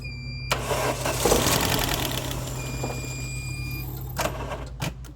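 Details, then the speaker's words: 1989 Chrysler LeBaron GTC, 2.2L Turbo II with 5-speed Getrag, sat about 17 years, on a low battery with charger engine-start assist: starter cranks with faint hum, then a few firing pulses as it tries to catch before cutting out. "I think it's gonna run, guys. You hear it?"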